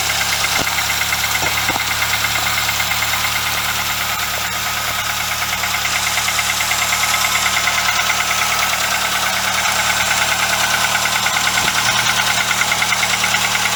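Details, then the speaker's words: VW Golf MK2 carburetor engine after cylinder head gasket job, cold start days later, coolant and crank seal leaks noted: loud, steady, even idle with a constant hum and airy hiss, no misses or surging; normal cold idle. "we're going to do another cold start today just to make sure everything's still okay"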